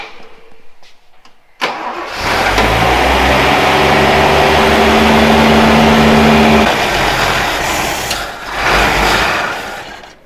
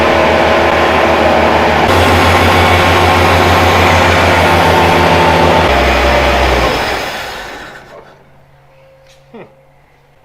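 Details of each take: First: Toyota Land Cruiser FJ40 (about 58,000 miles) after sitting 20 years, fuel pump leaking: engine catches, runs steady a few seconds, then sags and dies as the carburetor sight glass empties; engine stalls from fuel starvation. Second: Toyota Land Cruiser FJ40, first run after 20 years sitting in a field: petrol engine runs steady and even, then dies as fuel runs out; fuel pump leaking, needs a seal; the motor sounds good.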